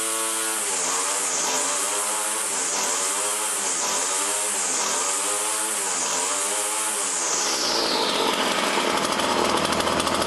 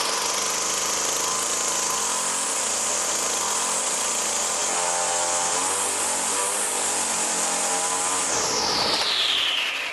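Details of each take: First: Poulan Model 117 two-stroke trimmer, stored about 3 years, after a tune-up and throttle cable adjustment: crisp buzz at a steady idle with only a slight rhythmic waver and no knocks. Clutch disengaged and spindle not turning; normal idle. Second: Poulan Pro Model 117 two-stroke trimmer on premix, stored about 3 years, after tune-up and carb work: steady high-rev scream with no drop to idle, then winds down, idle screw has little effect; high idle, possibly from the throttle cable sheath holding the carburettor open.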